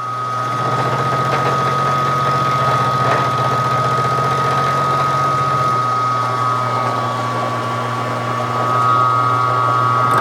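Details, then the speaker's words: Hobby milling machine making a part for a 5-cylinder radial engine stand: a climb cut using 50% or more of the cutter diameter, so backlash is not pulled. Steady hum with a smooth, even cutting rumble and no banging or chatter. "But as long as you cut with 50% or more of the diameter of the cutter, you're fine in the cut."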